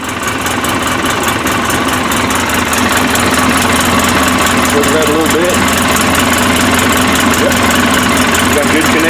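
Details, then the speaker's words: Polaris Ranger 800 twin-cylinder, after repairing the mag-side injector sub-harness for code 06515: loud steady idle with even rapid beat, no misses or knocks, no check engine light; running normally. "all right no check engine right everything's running good"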